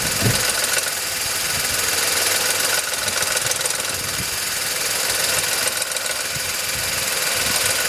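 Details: VW Polo 9N 1.2 12V at 198,000 km, idling: light metallic ticking knock over a hissy top end, developed over time and heard only at idle; owner suspects the timing chain but is unsure.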